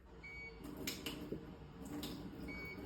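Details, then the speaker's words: eSpring water purifier while water is poured in: two short, high beeps about two seconds apart, meaning the filter cartridge needs to be changed. "that beep? That means that the filter needs to be changed."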